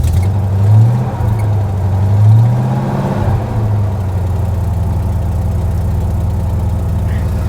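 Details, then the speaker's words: 1992 Ford Ranger with a 5.0L 302 V8 swap, 94,000 miles, idling at an auction: a deep, even V8 rumble swells with two quick throttle blips and settles back, with no knocks or misses; it sounds healthy, though the throttle is stiff. "doesn't sound too bad 94 000 miles on the clock"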